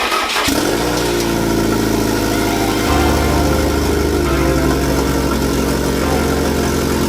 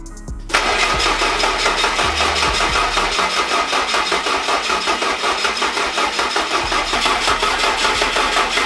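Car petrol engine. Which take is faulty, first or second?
second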